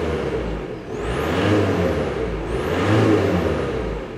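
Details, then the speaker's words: Audi A4 Avant, intermittent power-loss/boost complaint: after repair, two clean rev-ups unloaded with smooth rising turbo whistle and even fall-back, no surging; earlier excess boost up to 1.5 bar at idle gone, boost-limit valve duty and pressure now near spec. "на холостых без нагрузки машину можно было рассказывать до полутора бар избытка такого уже нет"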